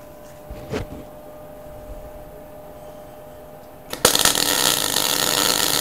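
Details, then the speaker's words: MIG welder after the voltage was turned up a fraction at the same wire speed: after a few clicks the arc strikes into a steady, even crackle like something frying, with better heat penetration, replacing the earlier spitting and popping. "sounds a lot better can you hear how that sounds guys you hear it sounds it sort of sounds like a something frying on the stove"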